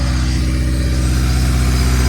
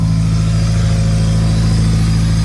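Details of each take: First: Built Honda D16Y8 in an EG Civic, first run after rebuild, idling several minutes without coolant, owner wary of overheating: deep steady drone with smooth even pulse, no knocking or tapping; sounds healthy. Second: Built Honda D16Y8 engine just reinstalled in an EG Civic, first start, warming up with check engine light on: steady fast idle, even beat, no hunting, well above normal warm idle; owner suspects IACV control, not confirmed.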